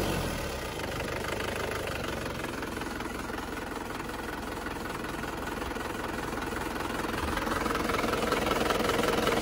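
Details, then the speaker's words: Diesel engine after nozzle (injector) servicing, previously smoky with rough ticking: even, steady idle clatter without misses or knocks, much smoother than before, no oil blow-by. "sudah jauh lebih halus daripada yang kemarin."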